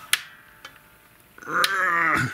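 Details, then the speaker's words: Sterling Music Man StingRay 5 bass with a bowed neck, pickguard off: short strained creak rising into a squeal as the truss rod adjuster wheel is forced to loosen; adjuster jammed up against the body, neck to be removed. "no loosen oh you can hear it e it's just jammed"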